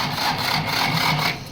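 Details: Slow, labored cranking of a Ford that also won't go into gear: dry, rasping pulses come about two to three a second as the sluggish starter struggles to turn the engine and it won't start. A weak battery is discussed but the cause is unconfirmed.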